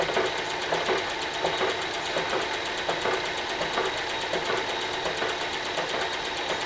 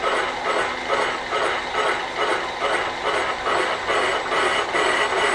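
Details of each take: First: Carbide boring tool chipping its tip at the bottom of a cast iron wood chipper flywheel bore, cutting through a hard heat-affected zone left by arc welding; sharp regular ticks about 83 a minute over a steady cutting hiss. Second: Normal carbide boring cut in a cast iron wood chipper flywheel bore, power feed engaged from the bottom; even rhythmic scraping about two per second, smooth with no chatter or squeal.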